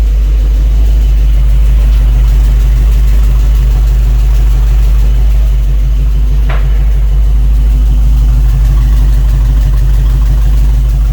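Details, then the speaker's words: 1955 Chevy Nomad V8 at initial start-up, idle slightly needing adjustment, heard from the rear: deep loping idle with faint uneven puffing underneath, smoothing as it warms; suspected small exhaust leak probably near the muffler. "Back around here, you can hear got a little exhaust leak on that exhaust system. I can hear underneath there by probably by the muffler."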